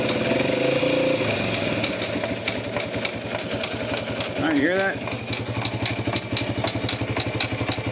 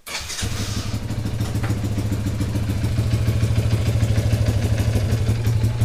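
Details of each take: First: Circa 1991 Yamaha Champ YFM100 shaft-drive ATV idling and revved in gear, rapid fairly regular clicking without moving; carburetor previously replaced; broken drive shaft sleeve slipping, not the transmission. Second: Yamaha YFM100 Champ ATV after replacing a broken drive shaft (it had clicked in gear without moving), carburetor not yet cleaned: it starts and settles into a steady, even chug of about 200 beats a minute. It engages drive cleanly.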